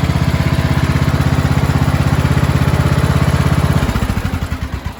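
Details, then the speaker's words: Vintage Briggs & Stratton flat-tappet engine on a scrap-acquired mower, first start after basic maintenance, no air cleaner yet, carb not finally adjusted, about 75°F: steady even single-cylinder chug, then slowing at shutdown. Normal running. "but she's running really good so I can't do the final adjustments on that carb until I get an air cleaner on it really really good very happy with that sounds great"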